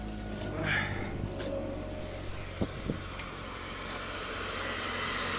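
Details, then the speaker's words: 1999 Chevy Cavalier Z24 2.4 after replacing all four spark plugs: low, even idle murmur under outdoor noise with no stumble or shake; running smoothly on all four, slight movement blamed on old motor mounts. "Well, it sounds good. It's not vibrating or anything, so it means I got all 4 of them in there."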